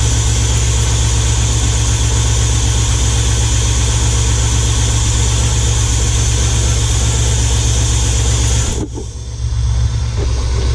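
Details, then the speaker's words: Square-body Suburban V8 on first start after an Edelbrock Pro-Flo 4 EFI conversion: heavy rumble with slightly uneven lope, idle sags and nearly dies before recovering; owner suspects idle air setting too low. "Cuz I need to adjust that idle air thing up. All right, I'm going start it and just see what happens. Probably going to shake off."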